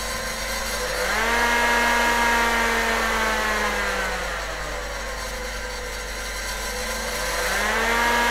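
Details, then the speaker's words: PDP-11/34A vintage computer under repair, cooling fan on a speed controller: a steady, smooth whir whose pitch eases down and back up as speed is adjusted, with no rubbing or rattle; the speed control works normally. "okay well hopefully you can hear that the speed control is working you can make a huge difference to the amount of noise these fans make by just slowing them down very slightly"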